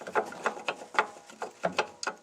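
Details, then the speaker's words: Lada Vesta over small washboard-type bumps: sharp uneven clacks about three a second from the rear, caused by a caked chunk of dried mud bouncing under the rear wheel area, knocking through the body into the cabin; suspension itself fine. "тут кусок грязи скачет просто скажем так не домы и в салон по железу отдаёт"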